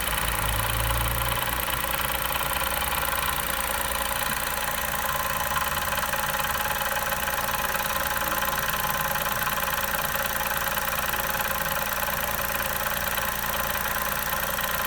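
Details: 2020 Chevrolet Onix Turbo: after first start and pressing the brake pedal, a regular tick about four per second over the idle, absent before; owner suspects the vacuum pump, dealer calls it normal characteristic.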